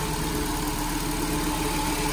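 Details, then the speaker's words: 2010 Nissan Grand Livina, flooded to half-wheel height, after repair of rough noise a mechanic attributed to the alternator: recorded at open bonnet, steady even idle hum with no roughness or ticking; normal idle. "Ini posisi kita di kap mesin yang sudah terbuka. Tidak ada suara kasar dan tidak ada suara gelitik ya. Tidak ada juga suara gelitik."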